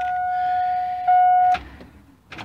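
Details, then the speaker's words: Pickup truck with dead battery, drained after the alternator failed and was replaced: a single thin, weak chime tone holding about 1.5 seconds then cutting out, before jump-start attempt from an 18V Bosch cordless drill battery. "it hmm you hear the buzzer it's pretty dad I am skeptical whether this is gonna work or not"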